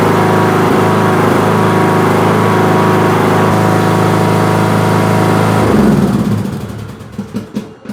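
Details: Craftsman LT2000 riding mower, 19.5HP Briggs & Stratton 31-series 500cc single (31P677), after head gasket replacement: steady even single-cylinder thrum at constant speed, winding down to stop; smooth healthy running, no knocks or misses.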